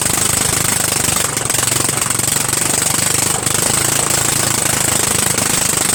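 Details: Murray Widebody LT 14.5 42" lawn tractor single-cylinder engine running with the muffler removed, just started on fresh gas: a rapid, harsh jackhammer-like staccato, far too loud. The cause is the missing muffler.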